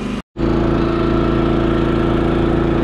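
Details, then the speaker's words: Champion 3400 inverter generator after carb cleaning and repair, powering a space heater on max (about 1500–1700 W): firm steady drone working hard under heavy load, no surging or hunting; running healthy. "I don't know if you can tell but I have that space heater on max that's about 1500 to 1700 watts and as you can hear the generator is actually working pretty hard here"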